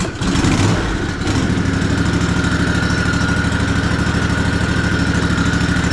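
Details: Ariens Ikon XD 52-inch zero-turn mower, Kawasaki FR691V V-twin, run before sucking out the not-very-dark oil through the dipstick tube during annual service; steady, even thrum with smooth low pulse, no knocks or misses; normal running.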